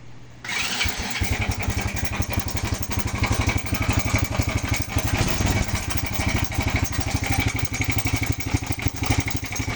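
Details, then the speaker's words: Small motorcycle engine idling with loud busy metallic clatter; cover opened shows slack timing chain with no tension, worn chain guide and roller guide. "aan nabaklas na yung cover so ito yung dahilan kung bakit maingay maingay yung makina ito yung timing Chin niya ano na wala ng tens"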